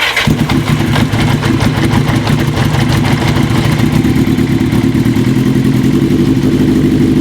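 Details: 1980 Kawasaki KZ750, earlier running on three cylinders, after softening carb boots with wintergreen: lumpy uneven idle with slight hiss, air still leaking between a carb boot and the manifold; new carb boots needed; intake vacuum leak.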